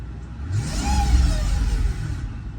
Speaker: Okay, so I have it parked and when you hit this gas, listen to it. What the freak is that? 2005 CL600 V12 twin turbo.